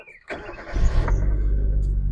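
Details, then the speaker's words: Car, battery just reconnected, out of gear with clutch pressed, e-brake on: brief crank, then it catches at once and settles into a steady, even idle; clean, healthy start. "It starts right up. Absolutely no problem."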